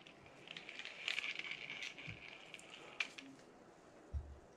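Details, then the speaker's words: New Penn Spinfisher 440SSG spinning reel, after shimming to stop the main gear flexing in the housing, which caused a grind: light, even whirr when cranked, with a few soft clicks and no grinding. "and there you have it a lot better sounding and feeling"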